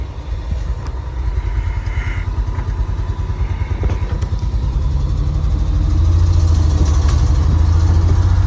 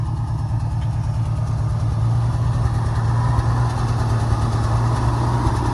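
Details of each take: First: Old Ford bumpside crew cab truck run for the first time in 20 years, manual shifter: engine idles with a quick, busy beat, idle set too fast. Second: 1971 Ford F-350 crew cab long bed straight six, running after 20 years of sitting: a smooth, even low rumble with no knocks, ticks or stumbles. Steady idle, quiet like a sewing machine, running healthy; the throttle pedal tends to stick.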